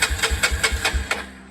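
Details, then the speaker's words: 1993 Honda 300EX revival on a test battery, clutch pulled: even starter cranking about five pulses a second for roughly a second, turns over but doesn't fire; old rusty gas in the tank. "so it fires over or turns over"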